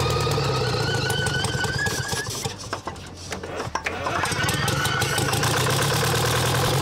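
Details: Champion motor grader with a Detroit diesel that sat locked up for 7 years, now freed: steady, even clatter with a brief dip midway, then it settles back; running normally.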